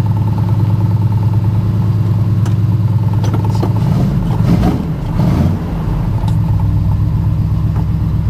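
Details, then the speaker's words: 1972 Ford F-100 V8 cold start after sitting a month, cranked over first time in about 100° heat: deep steady rumble with a brief rev dip and pickup, even running with no knock or miss; sounds good. "truck's been sitting for a month cranked over first time sounds good I'll tell you"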